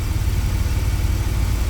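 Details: 2000 Chevy Astro, crank-no-start and stalling complaint, crankshaft position sensor code on scan tool: steady, even low rumble at about 740 rpm idle with no misses, knocks or surging; smooth normal idle.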